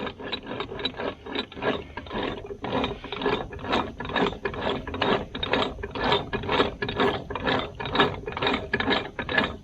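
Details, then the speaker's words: Muncie three-speed transmission being rebuilt, shaft bearing spun by hand in diesel fuel: loose gritty rattle in quick bursts about two a second; worn bearing is the noise source, replaced with new. "you can hear this one is rattling this shaft that's what the rattle is"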